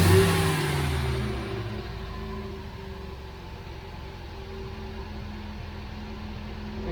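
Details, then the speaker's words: 1969 MGB, recommissioned after dry storage since 2001, carburettor vacuum pipe reattached: after a rev the engine note sags back slowly over a couple of seconds before a low, steady idle; slow return to idle, higher carb vacuum than expected. "if I rev the engine the revs are quite slow dropping back down to either again"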